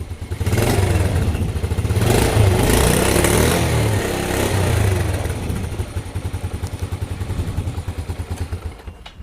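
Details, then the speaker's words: Yamaha Vega R (old) after fitting a Mio 5TL CDI, battery somewhat weak. It catches on the electric starter and settles into an even thumping single-cylinder run of about three beats a second, sounding healthy. "Oke, sekarang kita coba starter. Nah, ini bisa."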